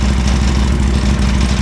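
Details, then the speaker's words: Harley Sportster with new Hammer Performance 1275 kit and Dyna 2000i ignition, previously dying within 10 seconds of starting; after new choke cable fitted it fires instantly and holds a deep, even V-twin idle with no stumbles or misses; normal idle. "Fired right up as quick as I hit the button. And as you can tell, it would have already shut off by now."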